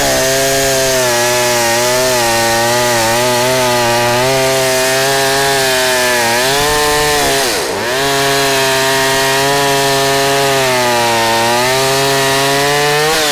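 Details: 44-year-old vintage Husqvarna L65 chainsaw with points ignition, brought out of retirement, cutting a big oak log; steady two-stroke howl holding pitch, one brief bog then a clean pull back up. Lower rpm than modern saws but lots of torque.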